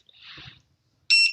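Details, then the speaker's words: YS-454-R wireless wave-to-open door switch: a soft rustle, then one short, high, clean electronic beep confirming a detected hand wave; this confirmation beep can be muted. "จะเห็นว่ามันจะมีเสียงดังปิ๊บๆๆอยู่ด้วยนะครับ"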